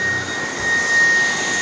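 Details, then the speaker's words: Dreame cordless stick vacuum with small 40W power head switched to high suction on thick rubber-backed mat: steady high-pitched suction roar and thin whine, brush roll barely spinning; too much suction clamps the head down, bogging the brush roll. "okay now if you put it up on high oh the brush roll is barely spinning yeah"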